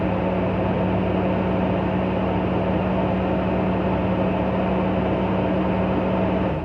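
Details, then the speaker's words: 2000 Toyota 4Runner, original 21-year-old muffler seam hole sealed with high-temperature epoxy putty, tested 24 hours later: steady low hum at even idle with no puffing, ticking or hissing; exhaust sealed and normal. "There we go. Seems to have worked quite well, and muffler's now all sealed up."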